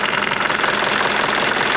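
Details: Mercedes W201 190D diesel at idle after a new engine hood insulating mat was fitted: fast, busy metallic chatter over the clatter; owner found a loose part cracking away in the engine bay, considers tightening its nut or replacing it.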